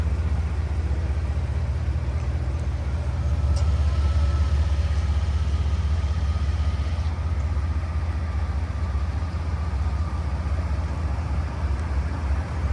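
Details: 2005 Chevrolet Silverado 3500 dually 4x4, 8.1 L Vortec V8, 26,082 miles, fully serviced: deep, even low rumble holding steady, no misses, knocks or ticks; normal idle.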